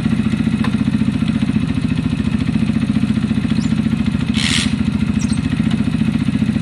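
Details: Zontes EFI single-cylinder motorcycle with a fuel-injection cutting-out problem, idling after the choke went off: a steady idle with a faint light valve tick, about three or four a second. It now sounds much better.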